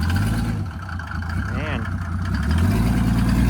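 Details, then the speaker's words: 1986 Mercedes W124 300D, OM603 turbo diesel with 7.5 mm injection pump and larger Holset H1C turbo plus intercooler: steady even clatter under a rising drone pulling away, no misses; it cleared up and sounds much better. "Actually looks quite nice. And it cleared up. You can hear it sounds much better,"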